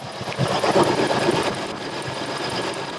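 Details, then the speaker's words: Vehicle with number one cylinder misfiring, swapped to a different ignition coil and started: quick uneven snapping ticks about three a second over the running engine as spark jumps; the replacement coil fires, old coil was bad. "there we got spark you can even hear it anyway well we found our issue yay"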